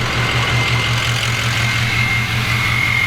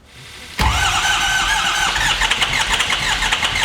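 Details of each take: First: Adventure Bus turbo engine reinstalled and running after a bad cam was fixed: loud, steady idle with a deep even rumble and a faint high turbo whistle, no misses or knocks; normal idle. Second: Adventure bus engine restarted after a fuse box bad-pin fix runs with an uneven, chuffing choo-choo beat, about three puffs a second; cylinder 7 dead and misfiring, fuel pressure 60 psi, injectors good.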